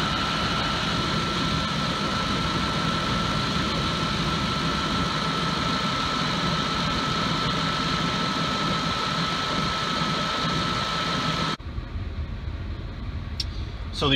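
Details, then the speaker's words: 2004–2008 Ford F-150 5.4L idling after alternator and drive belt replacement, air inlet horn not yet fitted. Steady, even idle with no belt squeal, chirp, rattle or vibration; charging at 14.2–14.3 V. "It sounds good. There's no noise at all, and there's no vibration. So it's tight."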